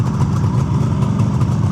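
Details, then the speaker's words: Restored 1976 Suzuki GT750A two-stroke triple, 1,274 miles since rebuild, original pipes, stone cold after a week, on choke after electric start: smooth, quiet, even low burble, no knocks or misses; healthy cold idle. "Pretty undramatic. Really smooth engine, pretty quiet."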